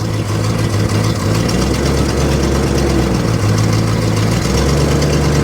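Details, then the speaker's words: 1964 Mercury Montclair four-door, abandoned in the Arizona desert and last registered 28 years ago: deep, steady V8 idle holding smoothly in gear; transmission engages immediately and feels solid; normal idle in gear, a runner. "oh yeah she's a run in a driver yeah it's solid transmission's real solid oh it's solid real solid I mean it immediately tries to go into gear"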